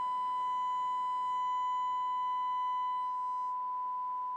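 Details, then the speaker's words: Pioneer SX-255R receiver on the bench with speakers and oscilloscope: loud steady test tone, harsh buzzy edge easing near the end; left channel good, right channel low and distorted, missing half the sine wave, cause not yet found. Distorted amplifier channel. "the left channel sounds really good but the lote the right channel is low and distorted"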